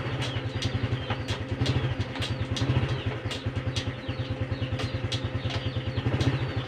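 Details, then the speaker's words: Honda Supra X 125 FI after an adjustment (a small free gap kept), engine running with the rear wheel turning. Even single-cylinder putter, smooth shifts and no more "ceklok" clunk. Normal gear shift. "perhatikan kaki perhatikan gigi tuh udah ya ngobrolnya juga lebih enak dan nggak ada timbul bunyi ceklok lagi"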